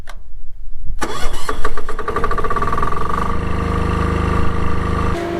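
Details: Newly installed diesel auto-start generator for off-grid power, after refuelling and an oil check: short crank, catches within a second, settles into a steady, quiet, even hum with no misses or knocks; normal start.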